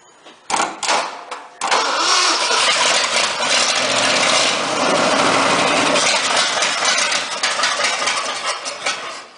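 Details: 1976 Ford truck auction find, crude wires fitted, battery hooked up, fuel bowl primed: a few short cranking bursts, then it catches and settles into a steady even run; engine cranks and starts.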